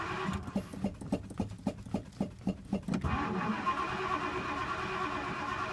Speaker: You can kind of hear that ticking, which is the exhaust. Once it warms up, it calms down a little bit.